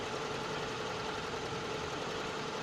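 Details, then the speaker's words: 1979 car with distributor and coil ignition, after the coil-pin improvement, just after a cold start on manual choke: a fast, even idle, steady with no stumbles or misfires, running normally. "everything seems to be running normally after a few moments I'll be opening up the uh the choke throttle and see how it runs"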